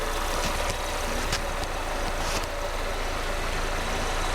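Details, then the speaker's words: Wrecked 2019 Mercedes-AMG A35 at idle after delivery; even, settled idle with smooth low drone and a few stray clicks, running normally, though owner notes a blowing sound to investigate. "but the car starts yes that is a result and it sounds fine there's no issues there"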